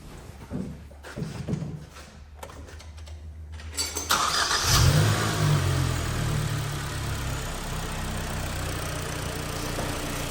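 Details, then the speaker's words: 2010 Hyundai ix35, G4KD engine, front-wheel drive, manual, knocking engine with scored crank and spun bearings after repair: a few cranks, then it catches and settles into a steady, even idle with no knocking or ticking; runs well. "Очень неплохо работает вот ещё притёсы лишние это у нас ремонтирует машину там Отлично Прямо всё хорошо сейчас"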